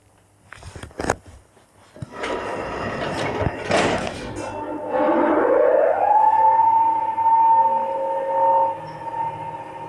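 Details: 1976 SLZ elevator (320 kg, 0.71 m/s) with an AS-2-62 6/18 motor, a month after the motor was repaired. Its tone climbs on acceleration, then holds a steady loud whine; the motor has become loud again.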